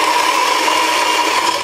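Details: Saeco Incanto Classic superautomatic espresso machine with casing removed and sensors bypassed, grinder running. Steady gritty whir with an even mid-pitched hum for about two seconds, then it winds down cleanly; healthy grinder.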